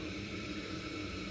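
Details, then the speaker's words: Ideal Independent boiler that had been flashing an L2 fault: after the reset switch, left not fully returned, was moved back into position, the boiler went into demand and fired with a steady soft roar and faint hiss. Normal burner firing. "So when I put it back into position, the boiler went into demand and it fired"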